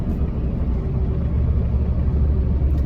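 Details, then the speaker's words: LBZ Duramax, about 10,000 lb truck towing roughly 15,000 lb trailer and gravel, off throttle with the exhaust brake just activated via ECM pins and toggle switch (no tune): steady deep drone, no roughness, slows without service brakes. "yeah, that is nice. not even hitting the brakes."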